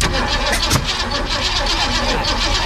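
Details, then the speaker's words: 1965 Mustang, roller 302 with electronic distributor and rebuilt Holley 4010 carb, cranking after re-clocking plug wires: catches roughly with a sharp pop out the exhaust; backfire, ignition timing still incorrect. "and that doesn't seem right it sounded like a backfired off the exhaust"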